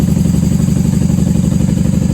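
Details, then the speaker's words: 1994 Honda Magna 750 VF750C V4, just started cold on choke with the airbox off and factory pipes without baffles: steady, even low burble at a fast cold idle with no misses or clatter, running well. "Hey, she sounds good. She sounds great. I'm surprised she's running so well without the airbox on."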